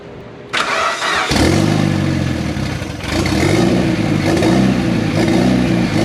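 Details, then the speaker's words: Turbocharged project car first started after almost 10 years, with no mass airflow sensor and some lines not yet hooked up: fires after brief cranking, then idle wavers and sags between throttle blips, never steady. Owner suspects the missing MAF sensor; unconfirmed. "so that might be why it's not idling but anytime you started it it would start up it would rev up and it would hold idle for a little while like up in the high RPMs"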